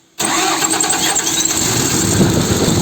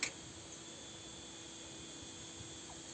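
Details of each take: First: Diesel forestry machine after repair of engine blowing air back out through the air filter and a knocking noise: cranks, catches at once and runs steady and even with no knocking; normal start and idle. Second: Forestry machine engine pushing air back out through the air filter when starting, valve cover off: rough uneven clatter with puffing rhythm back through the intake on cranking; loose rocker arm found.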